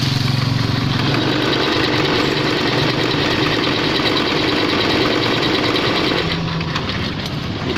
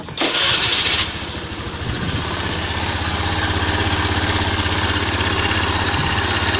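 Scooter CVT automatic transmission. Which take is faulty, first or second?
first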